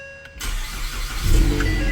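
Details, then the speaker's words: 2019 Ford Mustang 2.3L EcoBoost, first start after re-timing the engine and replacing the crankshaft pulley seal, with the high-pressure fuel rail emptied: quick crank, fires right up and settles to an even idle, no knocks or rattles. "There we go. Fired right up."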